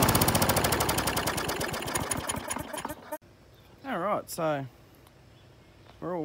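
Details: Australian-built Rover four-stroke mower after governor spring straightened: even, crisp firing pulses slowing and fading over about three seconds as it's shut off; engine runs cleanly.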